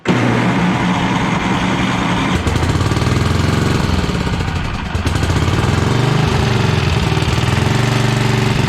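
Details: 1982 Snapper Comet riding mower, 8HP Tecumseh engine: loud, steady high-speed drone, even firing, no drop to idle; runs only at full throttle, stinks while burning off old fuel, carb tuning still needed.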